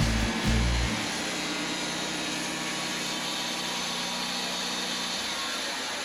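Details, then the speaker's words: Wood-Mizer LT40 portable sawmill slabbing big Ponderosa pine: a steady low howl over the rushing cut as the band runs, so loud the operator thought he had hit something; the band is getting pretty dull. "one thing you might notice here especially if you run a mill or if you've just watched a lot of my videos the band was really howling you can hear that howl so I I thought you know I must have hit something it's getting pretty dull"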